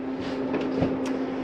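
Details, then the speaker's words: 2022 Salem FSX 170SS travel trailer furnace: after the thermostat heat is switched off the blower keeps running a few minutes, a steady fan hum with even airflow and no rubbing or rattling; normal run-on. "Now when I shut that off, you'll notice generally most furnaces, the fans take a few minutes to cycle through before they shut"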